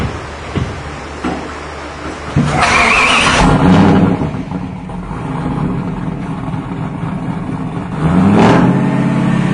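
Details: Engine back running after a mishap. Clean crank and catch, a couple of crisp revs, then a steady even idle with no misses or knocks; sounds healthy.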